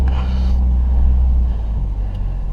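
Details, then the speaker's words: 2009 Subaru Impreza, warm: deep even flat-four burble revving and settling, no rattles or hiss; normal revving. "Yeah, that's a Subaru sound. Yeah, it's not just an old Impreza, now it's an actual Subaru."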